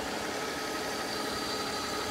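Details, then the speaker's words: Mercedes S600 V12 after new belt, lower radiator hose, idler pulley, greased idlers and new antifreeze; ABC system kicked in: smooth, even idle with a steady hum, no knocks, ticks or squeals; much better than before. "but it sounds good so much better than before so much better than before"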